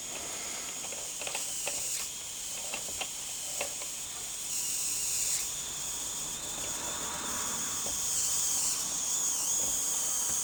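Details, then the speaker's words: MSS live-steam loco just converted from SM32 to 45mm gauge, in gear under steam: constant loud hiss with faint uneven chuffs, water coming through the piston, barely moving; owner suspects it needs more pressure and notes it ran much better before the modification. "well we had some movement then I just think we need to build up more pressure it's weird because it ran a lot better than this before I modified it"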